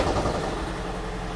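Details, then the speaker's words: 2012 Toyota Prius (third generation), 284,000 miles, gas engine idling rough with heavy uneven thumping and shaking: cylinder 1 misfire, code P0301, check engine light, coolant loss; owner believes head gasket failure, before replacement. "That is the misfire on cylinder one. And I believe there's a problem in the head gasket."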